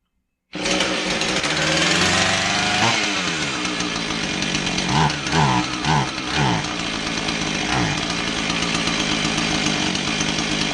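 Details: Husqvarna 445 two-stroke chainsaw with customer complaint of bogging, test run after new carb gaskets: screams steadily, then stumbles and sags in short dips before recovering; suspected plugged low-speed carb circuit, low-speed jet at two and a quarter turns.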